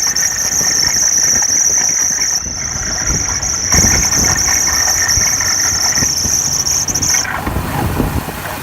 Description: 2008 Hummer h3 engine or fan belt squeaking noise